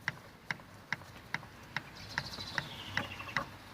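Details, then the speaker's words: 1973 Rover P6 3.5 V8 during relay replacement for starting problem: steady sharp ticking about twice a second; electric fuel pump clicking normally. "That's the pump you're hearing. I've left the whole thing connected because I'm a bit mental."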